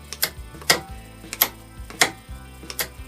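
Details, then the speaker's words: WARN 2000 winch with newly wired solenoid and remote receiver, temporarily hooked to a 12 V battery: two small relays pop on and off with crisp clicks about every half second to second, pulling in and dropping out cleanly; normal relay clicking. "okay so I got a temporary hooked up it has a two little relays right you can hear them pop off and on"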